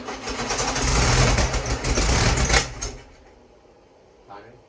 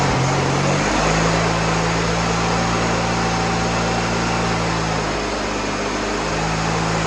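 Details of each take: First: Freshly rebuilt VW Beetle 1641cc dual-port air-cooled engine, first start: catches and runs roughly a couple of seconds then dies; seems not enough fuel, fuel pump suspected not working though carburetor still squirts. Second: Freshly rebuilt VW Beetle 1641cc dual-port air-cooled flat-four with new pistons and rings, first start on the floor: steady even idle hum, no ticks, taps, knocks or smoke; engine healthy.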